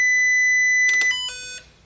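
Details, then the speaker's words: Power Probe ECT3000 short/open finder on a demo board, plugged in at the circuit breaker: a steady high tracing tone steps to lower pitches and then fades out, indicating a short on the circuit. "now that live in that tome which you can turn off is indicating yes you do have a short somewhere on that circuit"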